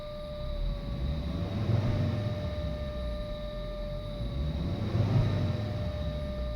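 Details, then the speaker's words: 2005 Volvo S80, idling smoothly: steady high whine in the engine bay that barely shifts and even lowers slightly in pitch when revved twice, not following rpm. "now when I rev it you're gonna hear the pitch change a little bit but it stays pretty much the same it doesn't like coincide with rpm so give it a listen"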